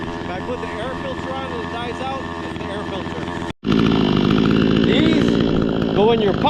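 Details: Vevor chainsaw, about 1.5 years old, no-start after flooded carburetor, running after drying carburetor with a Q-tip, started without air filter: steady uneven buzzing beat, briefly cuts out, picks straight back up and holds.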